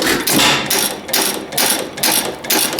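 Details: Old antique hit-and-miss engine started after sitting a long time, owner suspected gummed-up parts, spark checked and primed: sharp bangs about twice a second with quieter coasting gaps; running normally.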